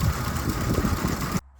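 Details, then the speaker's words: 2005 Ford Expedition 5.4L 3V Triton V8 at idle, shaking badly with a lumpy, irregular stumble from one misfiring cylinder. Replacing that cylinder's coil and plug didn't fix it; the owner suspects the cam phasers. "You can see how bad it's shaking. You can hear it misfiring."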